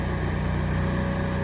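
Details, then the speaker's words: Miller Bobcat 225 gasoline welder-generator, just under 1,000 hours, electric start, mounted on a 2000 Ford F-450: fires right up and holds a steady, even low drone with no knocks or misfires; runs clean. "Fires right up. That's a gasoline engine on that thing, but it does what it's supposed to do."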